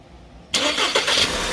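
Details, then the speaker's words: 2012 Volkswagen Tiguan turbo that cranked but would not start, while testing the ECU-fed relay ground circuit: silence, then engine catches at once and settles into steady even idle; starts normally now. "I took it out yeah now now it's good I hear started now"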